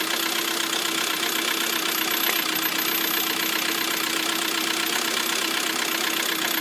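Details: Lada Priora at idle after repair: steady light metallic ticking about four times a second over a smooth idle; two hydraulic lifters found failed.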